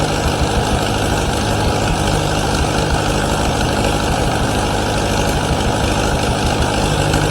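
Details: 1953 Allis Chalmers WD45 gasoline tractor after rebuild with new head gasket, radiator and hoses, steady even idle with a low rumble and no knocks or rattles; normal running despite coolant leaks at manifold studs and head gasket.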